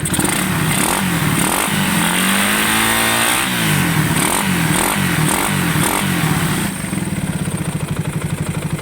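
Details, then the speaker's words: Motorcycle repaired for an engine ticking complaint, revved: it picks up cleanly and drops back to an even idle with no ticking; a remaining noise when shifting is suspected to be the clutch housing or a bearing, and it needs break-in; normal revving. "Ay ito mga Kulaok, wala nang lagitik. Ayan o. Naandar yan mga boss. Bibiriting ko."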